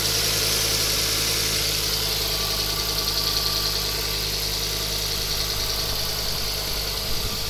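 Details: Ford Focus ST Mk2 at steady idle with a fast, sharp ticking puff about three per second; noise traced to the exhaust manifold gasket bolts/manifold, an exhaust manifold leak (a turbo replacement had been suggested elsewhere).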